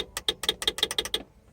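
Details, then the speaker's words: Cherokee with 5.3 swap, new wiring: a quick run of about ten crisp even clicks in just over a second, then quiet. Horn relay clicking normally. "Hazards. Horn relay works."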